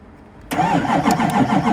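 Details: 2008 LMM Duramax diesel with a no-crank clunk/click fault after sitting in the cold, started by jumping the starter relay: silence, then the starter engages and the diesel catches within a beat, settling into a steady even clatter.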